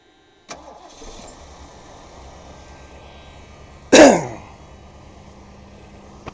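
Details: Lincoln, 32 years old, first start in several weeks on fresh premium fuel mixed with old tank fuel, battery condition uncertain: brief buzz, short crank and sharp catch, settling into a steady, even idle; normal start.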